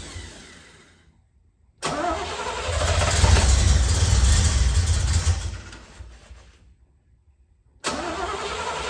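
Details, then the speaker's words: 1972 Corvette C3 small-block V8, first start after rebuild, second attempt with initial timing only roughly set: cranks, catches, runs rough and lazy for a few seconds, then fades and dies; ignition timing far too late. "Go ahead and try it. Go ahead. We're way late on our timing."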